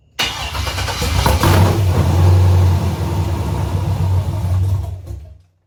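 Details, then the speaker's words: 1985 Camaro with LS swap, first start: catches within a second and settles into a deep, even V8 rumble with no valvetrain ticking, unlike the previous engine. "pretty happy to see that it actually runs and it sounded good and there was no valve train noise like the last engine"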